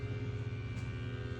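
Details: Spirit Halloween possessed pumpkin animatronic, plugged in: it talks but won't move; low steady motor hum spinning freely with no load change, so the motor runs but isn't driving the back-and-forth mechanism.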